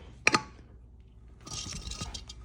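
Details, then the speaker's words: Removed front right electronic suspension strut from a 2014 Cadillac CTS4 3.6L, worked by hand: a sharp click, then gritty uneven crunching. The strut is stuck bottomed, leaks oil at the seal and creaks; it was crunchier before, so the internal strut has failed. "you hear that it's stuck all the way in the bottom position now it was a lot more crunchy before I started playing with it"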